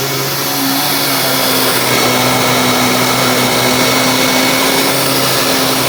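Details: Dyson DC25 upright vacuum with filter refitted: loud, even motor roar with steady hum and constant brush-roll whirr, no rattles or dips; normal brush roll operation.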